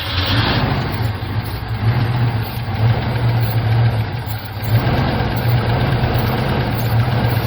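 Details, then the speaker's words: 1975 Chevy C10 square body V8 idling steadily after sitting since 2003, about 18 years, just revived and running on its own: deep, steady rumble with slight waver, no knocks or misses. Normal healthy idle; "that thing runs pretty good." "That thing runs pretty good. That is crazy, guys."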